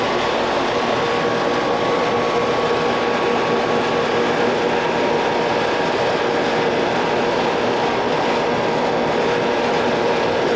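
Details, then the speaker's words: Outdoor AC condenser unit, about 15 years old and never serviced, running at about 80°F ambient: a constant loud whirring drone with a steady hum. Fan motor amps read low against its 1.1 rating; worn fan motor bearings are suspected and the motor is to be replaced. "they say it does cool well just making a loud noise i think i hear myself might be that fan mode"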